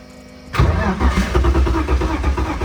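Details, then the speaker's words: Crashed BMW E46 drift car that has sat unstarted a long time: starter spins the engine briskly with an even chugging beat but it never catches; owner suspects it is out of gas. "I heard it on, like, wanted to start, bro. But anyways, it's not gonna start. I think it's out of gas, guys."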